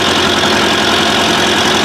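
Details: Classic Massey Ferguson 65 tractor diesel: loud, steady idle with an even chug and no knocks or misses; engine sounds healthy, no blue smoke seen.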